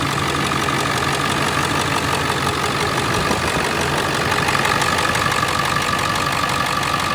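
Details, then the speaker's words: Ford 7.3 Powerstroke diesel truck after self-done engine swap, battery and ABS lights still on; steady even diesel clatter at settled idle, no misses or knocks; normal idle. "Fired right up. See, we still have a battery light. ABS light, that was an existing issue before."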